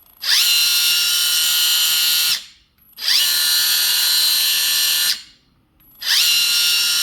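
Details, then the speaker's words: Kabolite K961 excavator before the fix: a loud high-pitched squeal in repeating two-second bursts from the left track motor, while the right track is quiet. The squeal comes from binding under too much track tension. "right track is pretty quiet left track"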